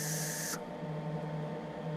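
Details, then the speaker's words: MIG welder with shielding gas flow set to about 30, roughly double what is needed: a loud steady hiss on the trigger, then a softer but still strong rush as it is turned down. Excessive shielding gas flow. "so you're using twice as much gas as you need you don't want that and you can hear right away when you hit the trigger"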